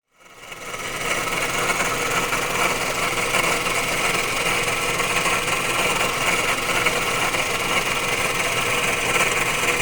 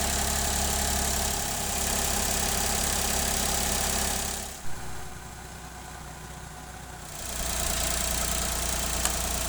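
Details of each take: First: Failing water pump: steady harsh saw-like grinding and rattle over a running engine; the engine overheated easily, cooling once the radiator fan ran, and became almost silent after the pump was replaced. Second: Engine idling after replacing a faulty water pump that had caused rattling, grinding saw-like noise and overheating: smooth, even, very quiet idle with steady low hum and no rattle or grinding; normal idle.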